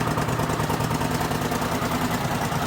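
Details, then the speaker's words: Rebuilt 1979 Honda CX500 twin, started after standing outside for months, fuel possibly stale: even, steady low burble at idle with no timing chain slap or knock, a known fault on these engines; running smoothly. "Any time and chain slap. Nope. And that's a fault with these, the time and chains always slap. And it wears down the aluminium, shoves it straight into the main end bearing and seizes them. But yeah, this is running alright now."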